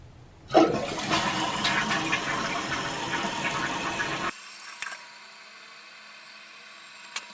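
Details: Sharp flush surge for about four seconds, then a quiet, even refill trickle with no hiss or running. After a fill valve repair and raising the float about an inch, the toilet flushes and refills properly.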